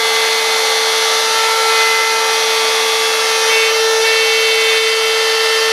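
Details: DeWalt router freehand carving a sign: loud steady high whine with fixed tone and sharp edge while cutting, much louder than normal; owner thinks the router bearings are going bad and can feel it.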